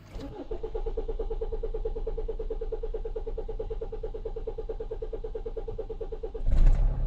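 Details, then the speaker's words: Diesel engine start after a fuel filter change, with the fuel system primed via scan tool fuel pump activation to clear airlocks: catches almost at once and settles into an even diesel clatter; normal quick start. "as you could hear there, it didn't take very long to start at all."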